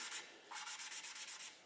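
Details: Model T Ford engine rebuild, hand-lapping a valve onto its seat with a suction-cup tool: quiet even back-and-forth rubbing strokes with little grit left; the lapping compound is worn out and needs renewing.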